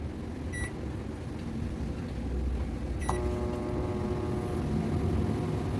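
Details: Digital microwave oven that previously hummed loudly without heating, after replacing a shorted high-voltage diode. Two keypad beeps, then a steady, even hum as it heats popcorn normally.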